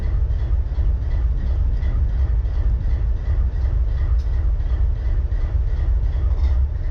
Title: BNSF 4583 IDLING WITH MISFIRE